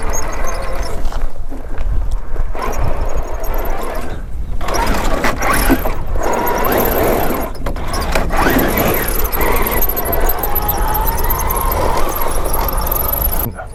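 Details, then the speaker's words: MJX H8H+ 1/8 scale RC crawler climbing steep terrain: a high squeal rising and falling with the motor over gritty motor whir; owner suspects something dry in the diff or elsewhere in the drivetrain, unconfirmed. "mengeluarkan suara melengking yang mengerikan tidak yakin apakah ada sesuatu yang kering di diff atau di drivetrain di suatu tempat"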